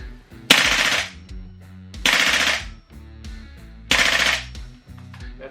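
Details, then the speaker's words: SCAR-L Mk2 airsoft rifle with HPA GBBR MWS conversion, buffer springs: three sharp rapid full-auto bursts with crisp even cycle; fires cleanly at a nice rate. "a nice rate of fire."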